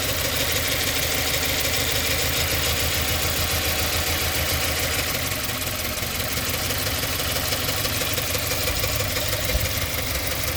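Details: 2017 Subaru Forester XT idling with misfire codes P0300, P0303 and P0017: engine shaking and surging, its low thrum stumbling irregularly. Plugs, air filter and coils on cylinders 1 and 3 already checked or replaced, with no change.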